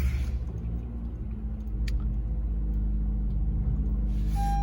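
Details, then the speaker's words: 2013 Honda Civic with check engine light, engine misfire at idle: low, uneven idle rumble with irregular pulse, car shaking and vibrating; code P0301 cylinder 1 misfire, spark plug checked and replaced. "started the car, and I see that car's a little shaking, kind of vibrating, and I hooked up my code reader here. I have a cylinder 1 misfire P0301, and the car is really shaking here."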